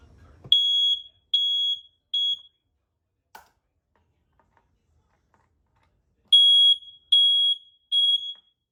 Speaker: Here, I'll hold down on this one, see if everything else is going off just fine. Sounds like they are.